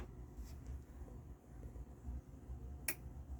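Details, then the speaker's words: Technics SA-EX310 AV control stereo receiver (likely 1990s), power-up: quiet, then one crisp relay click about three seconds in, display working; normal power-on relay click. "display is working I heard the click let's press play"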